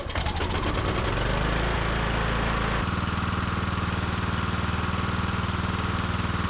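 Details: Small single-cylinder carbureted engine on the Estate Car, after a gasoline hydro-lock and oil change, run briefly with the cowling off: steady even chug at about four beats a second, no knock or misfire; normal running.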